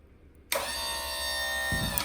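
A steady electric motor whine starts sharply, holds an even pitch under load for over a second, then cuts off cleanly; pump running normally.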